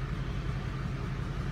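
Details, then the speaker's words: Chrysler engine idling about 700 rpm during a Matco MaxMe injector kill test; cutting injector 2 leaves rpm unchanged while cutting injector 1 drops it. Uneven, lumpy beat with a missing pulse. Misfire at idle, dead cylinder 2. "Number two, hit it, and it doesn't change at all. It stays right at 700. So that's, I know cylinder"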